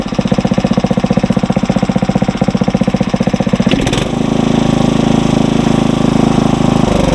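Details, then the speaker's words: Engine on a tiller, warmed up and throttled to fast idle; steady, even single-cylinder putter rising to a smoother, quicker hum, running fine while warming, no load. Normal fast idle. "Alright, let's go speed the tiller up some more, and then she won't run like that forever, but then she'll have to start cooling down again."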